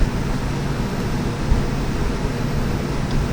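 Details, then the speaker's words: 2023 Winnebago Minnie travel trailer rooftop AC in cold mode with auto fan: a steady, even whooshing hum over a low rumble, no rattles or squeals, cooling the trailer. Normal cooling; it later shuts off when switched to furnace. "AC comes on. It will run the fan at whatever speed it feels like it needs to cool down the trailer."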